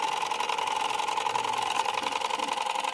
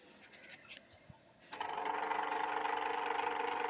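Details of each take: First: Usha ceiling fan motor running; steady mid-pitched electrical hum with a fine pulsing buzz and loud noise, but it won't rotate even when spun by hand; rotor found loose, slipping on its shaft. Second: Usha electric fan after rotor repair and reassembly with its cover on; the motor hums steadily with a light, even whir and no scraping or knocking, where before it made noise and would not rotate; normal running.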